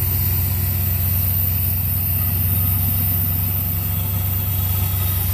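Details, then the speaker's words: 1981 Trans Am 4.9L 301 Turbo with newly installed FiTech EFI, at startup; steady, even V8 idle with a smooth low burble and no knocks or misses, some throttle applied; running right. "Hey listen to that baby all right yeah around here we'll see what happens when I give it a bit of gas kill whatever you want to call it oh yeah good yeah it'll seems to be running right"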